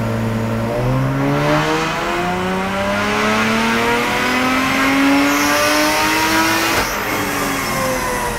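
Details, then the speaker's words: Supercharged IS200 on a dyno after a bigger blower pulley and E85 flex-fuel conversion: the engine note climbs steadily under full load, then a hissy squeal rises near the top as the supercharger belt slips. "the old supercharger belt slipper let's see what just happened"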